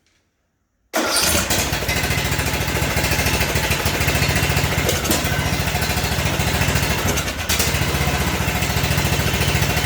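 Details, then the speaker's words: John Deere D110 Briggs and Stratton, first start the next day after a no-compression repair with the valve cover resealed with RTV: catches right away into a steady, even single-cylinder chug. Normal start and idle, though a slight pop-back later suggests a carburetor issue. "well it runs so what i'm gonna do now i'm gonna put it the rest of the way back together let it run a while we'll see what happens"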